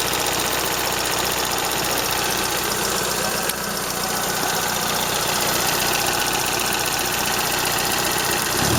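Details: Toyota Corolla Ceros, 4A-FE engine, C50 manual gearbox, at idle: a fairly regular rattle near four per second. Owner unsure if it is valve tick or gearbox shafts rattling; the exhaust flex pipe also leaks slightly.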